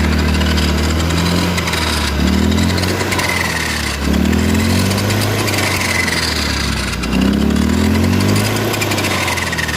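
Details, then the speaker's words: Honda Beat Street scooter: rough grinding growl rising and falling with revs from the rear final-drive gearbox. "kendalanya itu di bagian gearbox guard dan belakang suaranya kasar ngiuk kasar ya"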